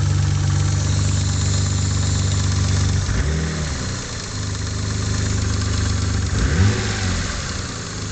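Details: Mitsubishi 3000GT at idle: fast, fairly even low knock persisting through two short throttle blips; owner suspects a spun bearing, unconfirmed; bottom-end knock at idle.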